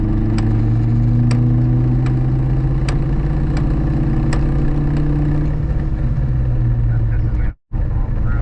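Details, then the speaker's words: Ford Mustang SVT Cobra (supercharged Terminator), manual gearbox after tire shop alignment test drive: sharp metallic knocks about every three-quarters of a second over car drone in second gear, faint in first; gearbox damaged inside, owner blames tire shop. "It's banging. It's like a metal knock."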